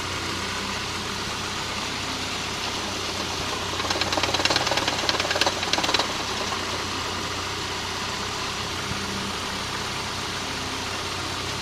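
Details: MG MGF petrol engine idling evenly with sharp, quick knocking in bursts of a few seconds.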